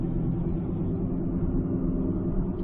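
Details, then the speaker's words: 2006 Ford Escape Hybrid at cruise after a wheel bearing swap: steady low drone under road rumble, unchanged, so not the wheel bearing; owner suspects a carrier bearing; humming noise while driving, source unidentified. "but again i still have that noise it's not a wheel bearing maybe it's a carrier bearing"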